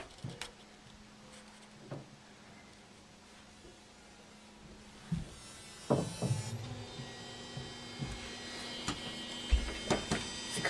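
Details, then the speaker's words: Samsung DLP TV after light tunnel replacement, restarted before fully shutting down: faint hum, click, then steady high-pitched electrical buzz from rear lamp area, lasting until lamp shuts off; color wheel suspected by others. "The lamp isn't turned on yet, but you can hear it. And then the light goes on."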